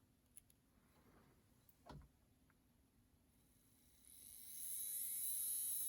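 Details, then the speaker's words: Bowser K11 4-6-2 model steam locomotive motor after cleaning and oiling during an overdue tune-up: near silence, then a soft, steady high whine without rasp or chatter, sounding better; normal motor run. "yeah that sounds quite a bit better"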